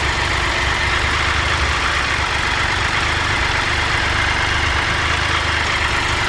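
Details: 2013 Triumph Tiger Explorer, 31,000 km, valve clearances checked and adjusted by dealer: steady idle with fast light ticking keeping pace with engine, less than before but still noticeable; suspected small exhaust header leak.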